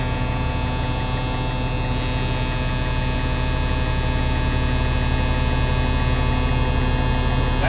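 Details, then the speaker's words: Former tanker truck now flatbed, diesel idling just after start: steady droning buzz over the idle, the low air pressure warning sounding while brake air builds; oil pressure came up slow but good, buzzer cuts off around 90 psi. "the air pressure is now going to be rising and that buzzer will cut off when it gets to about"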